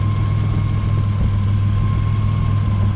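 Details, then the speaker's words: Nissan Navara with replacement VG30 V6 and new turbo, first start: low, even idle rumble with a faint steady buzz; no misfire or ticking, healthy idle, unlike the previous half-dead engine. "Wow it even sounds good on last time I had it running it was half dead"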